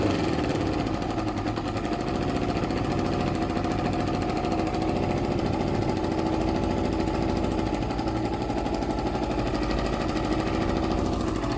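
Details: Suzuki ZL600 Eliminator twin after carb work, tank refitted, running without choke: steady even idle, no hunting or stumble, revs respond without hesitation; normal idle, carbs still need some work.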